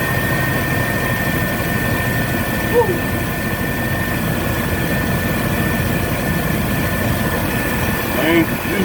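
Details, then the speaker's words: 1996 Chevy Tahoe 5.7 V8 that would not start after days of heavy rain; the fix was drying it and spraying WD-40 on the distributor cap. It now starts right up and idles evenly with a smooth low rumble, no misses or knocks. "hey let's start it it started right up"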